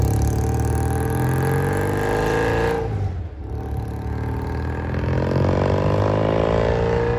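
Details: Vintage British motorcycle twin, sat for a couple of years, carburetors cleaned twice for clogged passages, on a road test around the neighborhood, Phoenix ~70°F: even thumping, brief dip on throttle change then clean pickup, no rattles; runs smooth and strong.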